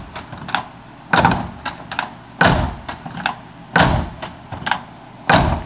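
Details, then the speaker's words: GM K5 truck door, era-typical panel fit with a ding, closed repeatedly: solid single thuds about a second apart, no squeak or rattle; closes and latches smoothly. "Listen to that. Nice and smooth, see? Nice and smooth."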